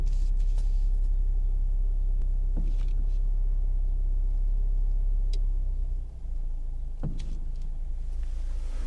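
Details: Lada Kalina Cross: steady engine rumble with a couple of sharp single clunks a few seconds apart while turning the steering wheel; knock suspected in the steering, cause not confirmed.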